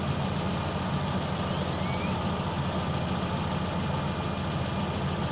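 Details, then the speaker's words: Car at idle: light, quick clicking over a steady rumble, apparently from the engine bay; cause not identified. "all right old TV shows yeah that's a funny clicking"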